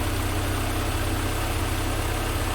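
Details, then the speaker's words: 1988 Mercedes 190E W201 after valve stem seal replacement, started with a fuel pressure gauge fitted reading control pressure around 4.4 to 5: low, steady, even idle with no misses or knocks; running smoothly. "So it's running really smoothly."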